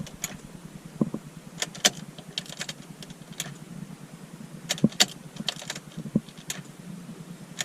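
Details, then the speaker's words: BMW E34 540i daily driver, swapped to a tuned 4.4-liter V8 running rich: scattered clicks and light whirring, no cranking rhythm. Starter spins freely without engaging flywheel, previously sounded like bouncing off it. "I don't know if you can hear that or not, but that's all you get. You just get the starter spinning."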